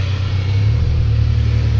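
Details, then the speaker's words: 2005 Maruti Suzuki Omni after clutch repair (faulty cable replaced, jammed lever freed): steady low engine drone pulling evenly through first to fourth gears (no fifth), no clunks or slipping; clutch now fully free, shifts smooth. "ಇದು ನೋಡಿ ನೋಡಿ, ಗೇರೆಲ್ಲ smooth ಬೀಳ್ತೈತೆ. First, second, third, fourth ಅಷ್ಟೇ."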